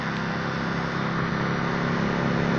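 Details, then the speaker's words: Street light with 400 W HPS (DNaT) ballast, two-winding choke, BLV lamp: lamp doesn't light but ballast hums loudly and steadily, running under a short circuit in the lamp socket. "светильник не горит но гудит причём громко гудит Это говорит о том что в патроне произошло короткое замыкание он тупо под коротким работает"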